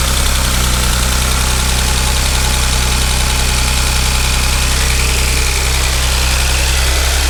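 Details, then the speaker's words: 2013 Audi S4 CGXC 3.0T supercharged engine swapped into a 2011 Audi S4 B8, first start after a year, upper tensioners replaced and engine timed, no coolant yet: steady, even idle, smooth low drone, no knocks, sounds healthy; normal idle. "there is no coolant but it's looks like it's pretty healthy and it's happy"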